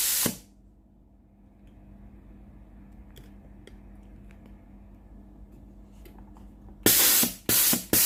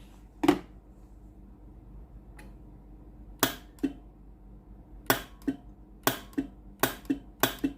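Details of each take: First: Philips GC9622 steam iron, solenoid water valve tested via a connected pipe: quiet hum, then a rapid run of sharp steam spurts and a long strong hiss; steam exceeds the pipe length, valve normal. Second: Philips GC9622 steam iron with no steam, test pipe connected at the solenoid water valve outlet: sharp single clicks, about eight in eight seconds, with no steam hiss; valve coil works but no steam passes, faulty solenoid valve.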